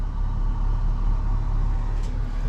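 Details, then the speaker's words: BMW X5 35d diesel after engine rebuild (head resurfacing, valve lapping, oil pump, head gasket, exhaust manifold gasket), running-in drive; steady deep even rumble, no ticking or knocking, no warning lights: normal running. "Aïe aïe aïe, ça tourne magnifiquement bien, pas un seul voyant d'allumé."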